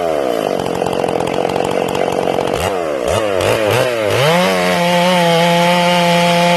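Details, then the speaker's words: Ported Stihl MS461 chainsaw, not yet broken in and deliberately tuned a little rich, in its first cuts. Blubbery, uneven burble entering and exiting the wood, then the pitch sweeps to a clean scream. The rev limiter makes it sound four-stroking; rich carb tune. "Now notice that you hear the saw 4-stroking as it enters the wood and as it exits the wood. Let's listen for that again. Listen for it 4-stroking."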